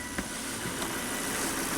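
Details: Volvo V70 wagon after a 400-mile trip, revved with a glove test on the crankcase. The glove does not inflate. Smooth, even engine note with no knocks or misses; the PCV oil separator is not clogged, contrary to the dealer's estimate. Normal revving.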